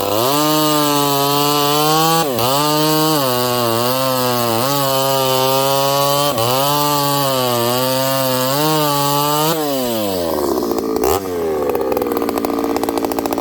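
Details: Ported Homelite 922 chainsaw after clutch and fuel line repair and cooler heat-range plug, cutting very hard wood: strong, clean two-stroke scream that bogs slightly and recovers as it bites, then clears out; normal, healthy cutting under load.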